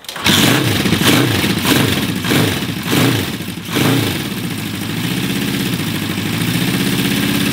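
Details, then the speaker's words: 1975 Honda CB550 four-cylinder, first start after 10–20 years parked: a lumpy, uneven beat, revs rising sluggishly under more throttle, then a ragged idle. One cylinder is dead, running on three; owner suspects the carbs need adjusting and syncing. "see when you give it a rev it doesn't quite want to push up because it's missing a cylinder"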